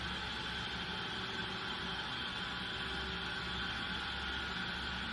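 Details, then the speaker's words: Normal bearing on a test rig, run at the same speed as a faulty bearing for comparison: steady, even running hum with a light belt swish, no knocking or grinding. "요게 정상 베어리기 소리"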